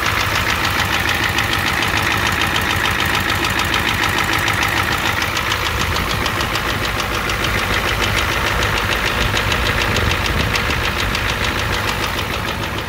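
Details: 1988 Ford F250 7.3L IDI diesel, high-pressure fuel line leak, white/grey exhaust smoke, smoke from dipstick, oil low: steady idle with a sharp knock about twice a second over the clatter; engine knocking at idle.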